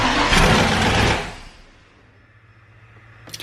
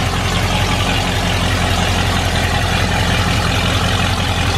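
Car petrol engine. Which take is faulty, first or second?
first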